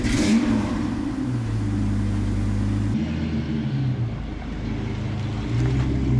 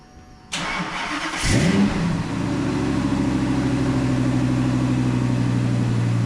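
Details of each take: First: V10-swapped Ford Mustang started after rewiring the MAF sensor and reconnecting a forgotten main ECU plug: fires and settles into a steady low rumble, throttle blips rise and fall cleanly; normal running. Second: Ford V10 swapped into a Mustang, after rewiring the MAF sensor; brief crank, catches quicker than before with a slight stumble, then steady deep idle; mild starting stutter.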